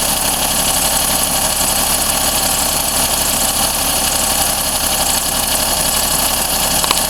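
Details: Daihatsu Cuore L7 EJ-DE, 135,000 km, fresh oil 0W-40, filters, plugs: fast light metallic ticking over idle, rpm-dependent, not from the cylinder head; louder cold and quieter as it warms, never fully gone; cause unknown.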